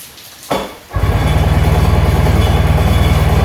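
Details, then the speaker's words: 1996 Sea-Doo GTX two-stroke after engine rebuild, out of water, first start of the day with a little choke: catches after brief crank and holds a steady, fast, even buzz at about 3000 rpm; normal fast idle. "all right guys there you go she is running good sounds good like I said I only have 3 000 RPMs um didn't take much just a little choke to get her going"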